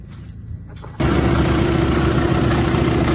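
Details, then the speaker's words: 2018 Freightliner Cascadia Detroit DD13/15/16 diesel with an engine noise, after valve adjustment: catches quickly and idles smooth and even with no tapping; compression still to be confirmed by computer test. "bien ya lo encendimos y se dan cuenta ya no se le escucha el ruido se oye nuestro motor parejo"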